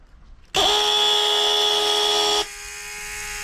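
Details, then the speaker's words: BMW E92 M3 brake vacuum pump bench-tested on 12 V in the garage; a steady high buzzing whine goes quieter and lower with the inlet covered to simulate a closed vacuum circuit; pump healthy, not the cause of the car's noise. "so as you can hear me talking with that vacuum line all covered up like it'd be in the car definitely not the same noise"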